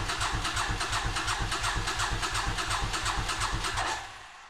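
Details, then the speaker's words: 37-year-old Suzuki Intruder 1400 being started for the first time in over 5 years after carburetor work; steady cranking, about three chugs per second for four seconds, winds down without catching; owner suspects a dead fuel pump. "So, it's been a few weeks since my attempt to start the bike, and I have a suspicion that the fuel pump is dead."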